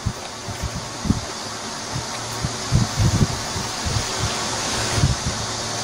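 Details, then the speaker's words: Shindaiwa EB803 engine blower that would not start, after carburettor cleaning, new diaphragm and new spark plug (sand was found in the carburettor): steady rushing air over a low, even engine pulse, no misses or surging. Normal running. "Bằng cách này, lỗi kẹt quạt gió động cơ 'Shindaiwa EB 803' đã được sửa chữa và hoạt động trở lại."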